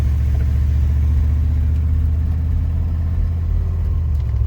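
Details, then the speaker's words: 1996 Chevrolet Suburban C1500, 4L60E transmission, after replacing the solenoids, pressure plate and wiring harness that caused limp mode: steady, even engine pull with no clunk, flare or slip going up through the gears; shifting normally. "shift sweet take a right left turn up here but she's shifting she's working"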